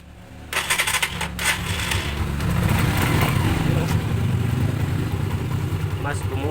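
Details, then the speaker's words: Motorcycle after valve clearance reset (previously ticking and weak on climbs): fires up and settles into a full, steady idle with no valve tick left. It is still cold but idles well and sounds healthy. "bumuo yung kanyang tunog. Pansinin nyo, malamig pa yan pero maganda na yung kanyang idle."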